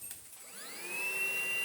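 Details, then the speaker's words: Easine G50 cordless vacuum, first run on a low battery in auto mode: the motor spins up with a rising whine, then settles into a steady, soft high tone with no rattle. Quiet and healthy; normal running. "that's ever so quiet i like it for sound the suction isn't too horrific either"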